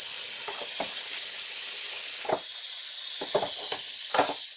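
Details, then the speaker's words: Craftsman pancake air compressor, about 17 years old, running with its housing opened to find a leak. A steady sharp hiss with a few knocks, then fading. Compressed air is leaking at the rear cover of the compressor motor. "now we've got the compressor somewhat apart we're going to fire it up and see if we can pinpoint where the air is escaping"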